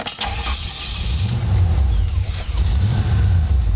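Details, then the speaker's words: 1962 Chevrolet Impala with an air suspension compressor: a short burst of cranking, then the engine catches into a deep, even rumble that settles into a quiet idle; a clean, healthy start. "so so it's idling right now you can hear it's quite it's a quiet engine"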